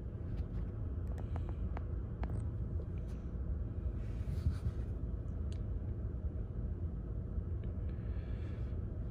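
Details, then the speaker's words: 2019 Chevy Equinox 1.5 L automatic after replacing all four: steady, smooth idle with no stumbling or stuttering. "engines running smooth no more stuttering or anything like that"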